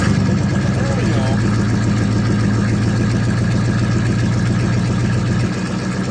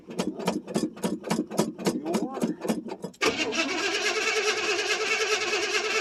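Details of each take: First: 1979 Chevrolet C10 Bonanza Big 10 with 305 two-barrel V8, cold start after sitting about a month, pedal pumped; catches and settles into a steady, slightly lumpy low idle, even once fired. Cold start settling to idle. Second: 1979 Chevrolet C10 Bonanza Big 10 with 305 two-barrel V8, cold start after sitting about a month or more: about three seconds of rhythmic starter churning before it catches and settles into a steady idle; extended cranking.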